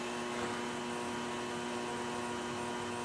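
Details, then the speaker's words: Drift car just started after its wiring was cut back: a steady, constant-pitched electrical buzz under the dash over engine hum; the source is unclear, possibly near the glovebox, the fan or the HVAC system. "there's a loud buzzing I don't know what from sounds like it's neither glovebox that'd be like the fan it's possible HVAC system"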